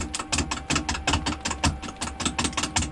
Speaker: so as it gets more round and you can hear it it will stop skipping it'll it'll give me a steady sound you know you're getting closer to round now